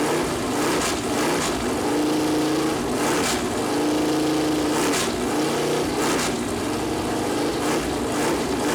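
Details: Freshly built Chevy Performance 454 big-block on engine run-in stand, first start: deep even V8 roar rising and falling with throttle blips, no knocks or misses; oil-gauge plastic line later touched headers and leaked; normal running.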